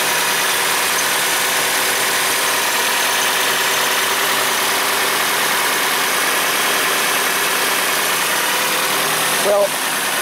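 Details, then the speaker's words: 2004 Nissan Frontier 2.4L after a valve cover leak repair and new spark plugs: steady, even idle with no skips or stumbles; runs smoothly with no misfire. "it's done the plugs are in it sounds good it doesn't sound like it's missing"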